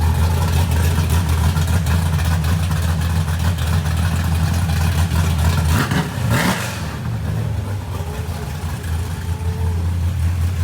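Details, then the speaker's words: Fresh small-block Ford 427 Windsor V8 on first start, timing unset, near-solid-roller hydraulic roller cam with limited-travel lifters: deep choppy heavy loping idle, one sharp throttle blip then back to the lope; healthy big-cam V8. "That thing sounds crazy. Yeah, sounds like a race car. It does. It literally does with a hydraulic roller."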